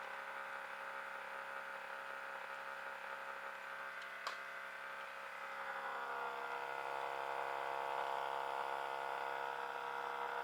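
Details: Hitachi 25 RPD/WPD unit running abnormally loud: a continuous buzzing hum with a whirring tone that swells after a few seconds, plus one sharp tick.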